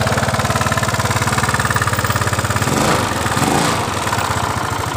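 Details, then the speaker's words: Yamaha Mio Sporty scooter with harsh, clattery idle whose rough noise grows louder as the throttle is opened; engine teardown found worn camshaft and rocker arm. "Jadi seperti itu, semakin ditarik tuas gas semakin mengeluarkan suara kasar di motor Mio Sporty ini."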